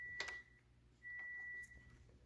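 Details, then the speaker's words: Toyota Corolla that cranks but won't start despite having fuel and spark: after removing and reinserting the 30 A main fuse, two short high-pitched chirps as the system wakes up, confirming power and that the fuse is good. "did you hear the the car chirping so that means you got juice and that fuse is good"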